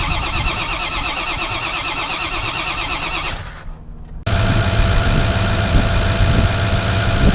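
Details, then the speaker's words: 2005 Ford F-350 6.0 Powerstroke diesel after new IPR valve and replaced injector: cranks, catches after a brief pause, settles into steady even idle clatter with no misses; running better than ever. "This thing's actually running better than it's ever had before."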